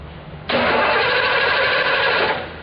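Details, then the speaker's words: 2006 Hyundai Sonata no-start, battery at 12.3 V. The starter spins the engine about two seconds with an even, solid churn, indicating good compression. Spark jumps about 3/4 inch; timing not yet checked. Normal cranking. "so we got a good nice solid spinning sounding engine and we know we've got spark we know we got good battery"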